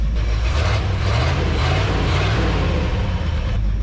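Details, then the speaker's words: 1978 Ford F250 crew cab with a hot cam, engine once stuck and revived after decades abandoned, warming up at idle: steady, even low rumble with no knocks, misses or ticks; normal warm idle, no oil leaks seen. "I mean, how good is that thing sitting there idling, guys? How good does that sound for uh being a stuck motor?"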